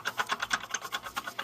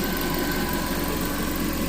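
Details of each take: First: Water pump on car with squeal complaint, timing belt tensioner also failing; pump spun by hand gives dry, rapid ticking about eight clicks a second, a rough worn bearing needing replacement, likely source of the squeal. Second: Reassembled car engine idling smoothly with an even low hum, no knocks or rattles, after wrong fluid in the radiator sent aluminum through the engine.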